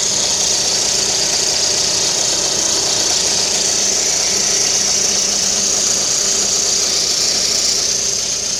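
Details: Lada Kalina 11194 engine idling with the timing belt cover removed: a steady, high-pitched whistle runs over the idle without letting up; timing belt whistle.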